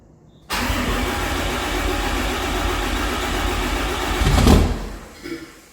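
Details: 600hp 6.7 Cummins-swapped hotshot truck after oil pan reinstall: steady cranking churn for about five seconds with a surge near the end, seemingly getting fuel, but it never catches and runs; cranks, won't start, cause unknown.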